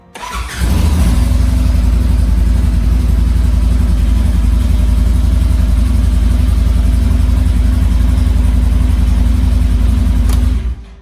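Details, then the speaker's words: Polaris RZR side-by-side after installing a kill switch, switch on and fuel pump primed: engine catches within a second, runs strong and even with no misses, then shuts off cleanly; normal start. "right everything's great everything's working"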